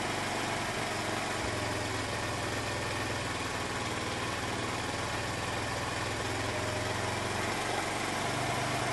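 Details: Honda C90 with new OO Racing replacement carb, after shortening throttle cable for free play, before warm-up: small single ticks over at a steady, even idle with a soft exhaust beat and no misses or hunting.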